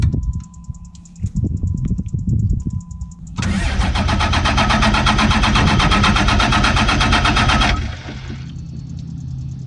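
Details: 2007 Ram 2500 4x4 dually diesel, first start after installing Flux 103% over injectors (valve lash and torque not yet redone); brief crank, catches, revs hard, settles to steady even idle, sounds healthy, injectors fixed it; normal start and idle.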